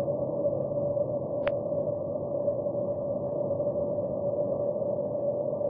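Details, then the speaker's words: Water main leak at a fire hydrant heard through an LD-18 digital leak detector with its noise reduction filter on: steady, even static-like hiss with the traffic rumble filtered out; water escaping from a pressurised main. "The water leak sound is a constant noise, almost like static noise."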